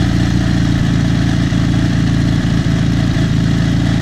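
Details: Dnepr MT-11 solo motorcycle, trial start after repair of the Sovek MBSZ/BSZ ignition (commutators and coil) and full rewiring; carburetors not yet adjusted. Steady, even boxer thump at idle with no misses or knocks; normal idle.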